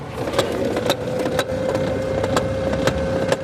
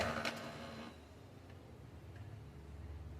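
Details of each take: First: Brother DCP-2540DW laser printer: steady motor hum with irregular clicking from the upper gear as the paper stops at the exit, after clearing jammed sheets including one in the fuser. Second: Brother DCP-2540DW laser printer after repair of paper stopping at the exit with a gear noise: short burst of feed noise, then a quiet, even motor whir with light ticking and no gear grinding or clacking; printing sounds normal.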